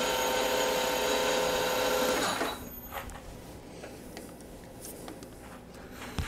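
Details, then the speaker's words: Lathe turning tungsten carbide with a CBN insert, 0.03 mm/rev feed, about 0.05 mm depth of cut, first cut: an even, clean singing tone for about two seconds, then quiet as the cut ends; a smooth, stable finishing cut. "first cut finish doesn't look too shabby the sound cuts through this the the cut sounds really nice it's really impressive"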